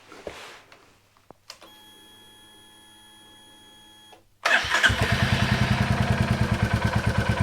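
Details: 2022 Royal Enfield Classic 350 Reborn, one year old, stolen, crashed and recovered, first start in the workshop: it catches and settles into a steady thump about three beats a second with a light tick on it; sounds tappety, ticking at idle.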